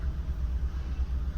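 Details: 2015 Kia Cerato shaking constantly at idle: low rumble with an uneven, lumpy beat stumbling every few pulses; scan tool shows cylinder 4 misfire, plug looked fine, stuck fuel injector.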